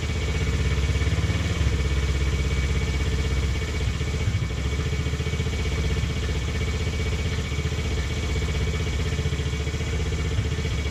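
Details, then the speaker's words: Taotao 125 single, re-jetted, after idle screw adjustment: steady, slightly fast idle with even beat, no misses or clatter; runs right, idle a bit high, likely from a worn throttle cable not returning fully. "That sounds pretty good to me. Once we get it in here. Yeah, sounds pretty good to me. It's got a little bit of a higher idle, and I think that's just due to the fact that this cable is just kind of shot"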